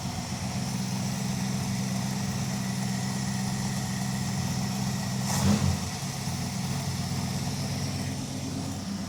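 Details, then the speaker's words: Dodge crew cab Charger project with 5.2 L V8, Seafoam in crankcase, just started: even low V8 burble, no ticking or stumbling, a brief bump midway then smooth again; normal idle. "runs good today. Not really moving around too much."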